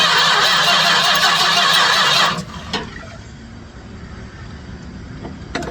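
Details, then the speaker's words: 1967 Chrysler Newport that sat for years: starter churns steadily for two seconds with no firing; cranks but won't start, clear filter shows the pump is not pulling fuel to the carburetor. "It's going to take a minute to prime some fuel up there. I'm looking at the uh the clear filter I put on there, though. She's not pulling any fuel."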